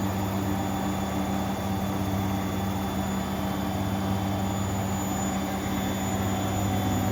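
Smooth, steady whirring hum holding constant speed, with no knocking, scraping or drum bang; the washer is spinning properly.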